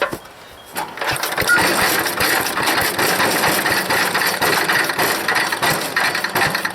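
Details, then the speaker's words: Small single-cylinder engine on a wood chipper, tank near dry, choked fully, no air filter; catches after a pause and runs ragged, sputtering at a quick beat: rough running. Owner suspects a bad float and dirty carburetor needing cleaning. "definitely firing it's got a real bad float"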